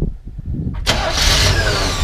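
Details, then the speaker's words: 1981 Chevrolet K20 Suburban 4x4, original engine, 4-speed, new battery, cold start: short crank, catches right away and settles to even, steady idle; starts very nicely, healthy. "It actually starts really nice. So you can see it has power steering as well. It starts very, very nice, even when it's cold."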